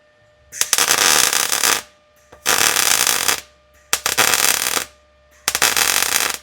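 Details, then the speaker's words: MIG welder welding overhead on the underside of a 1937 Lincoln Zephyr with wire speed slightly low for high heat, fan on high: four bursts of crackling, pulsing sputter that still lay flat, strong beads; normal welding. "All right, so you can hear that welder, the noise it was making, because the wire speed is a little bit low and the heat is high. So you're hearing this kind of sputtering sound, a pulsing, but it affords this very flat weld bead."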